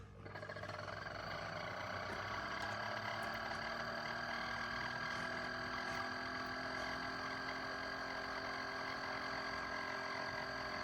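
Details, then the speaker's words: Chefman single-serve K-Cup/ground drip coffee maker, run again after a weird noise during first brew that left the water not very hot. Constant buzzing drone with a high tone throughout; unusual pump noise, cause unclear. "Turning this on again just to see if it does the noise and see if you can hear the noise."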